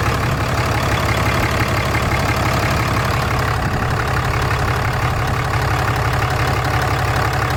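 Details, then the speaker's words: 2014 Ram 6.7 Cummins diesel, tuned and DPF deleted, idling on first start after EGR delete (cooler, valve, piping removed): loud, steady low clatter at constant idle with no misses or odd knocks; sounds good, runs smoothly. "Sounds good, looks good."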